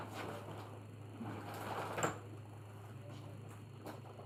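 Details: Dryer running after being opened up for loud squealing/screeching, wheels inspected: steady low motor hum with faint soft tumbling, no screech or squeal; normal dryer operation after repair.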